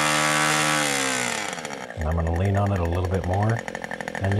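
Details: Two-stroke nitro RC airplane engine during high-speed needle tuning; high, steady scream, then the note settles into a smooth, even two-stroke run as the needle is leaned from four-stroking.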